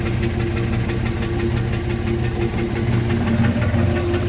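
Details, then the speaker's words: 1987 Buick Regal Turbo T not driven in years, first start on added fresh fuel: engine idles unevenly with a loose lumpy beat around two per second under the rumble; runs but sounds rough, cause unclear. "is that sound alright she started now is it gonna stay running don't sound the greatest but it does run"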